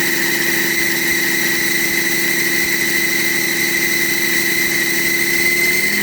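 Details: BMW E38 with M57 3.0 diesel at idle after fitting a rebuilt turbo: steady high whistle, same as the old turbo; disappears when the geometry control valve connector is unplugged, cause unresolved.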